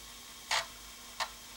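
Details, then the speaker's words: Commodore 1541-II floppy drive after cleaning, lubrication and head cleaning, loading a game: two short sharp seek ticks about two-thirds of a second apart over quiet hiss, no grinding, much less crunching than before. Normal seek. "it's not making as much crunching noise as it did before so that you know that gives a good sign"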